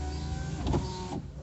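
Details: VW Voyage driver front door power window after cardboard shim fitted and grease applied to the rail; short even motor whir with no rubbing or clicking, glass rises smoothly and quietly; normal operation.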